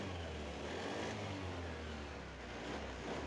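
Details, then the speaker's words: Honda Scoopy automatic scooter idling steadily with a light rev rise, even beat and no knocks after fixing the electric (hand) starter that would not work by tightening the bolts; starter now functions and engine runs normally. "Cup Eh sudah hidup dan pastikan starter ini sudah berfungsi"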